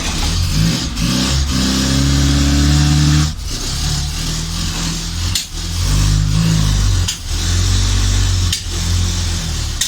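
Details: Morris Minor van starting for the first time, fed from an auxiliary fuel tank; the engine settles into a steady, low, even tick-over with no knocks or misses, though fuel is pouring out.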